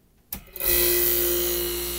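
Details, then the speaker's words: 1965 Fedders Weather Wheel air conditioner, mic near compressor: after the switch was cleaned with rubbing alcohol, a click, then the compressor hums up cleanly within half a second and holds a steady tone; normal compressor start. "all right guys that worked rubbing alcohol did the trick"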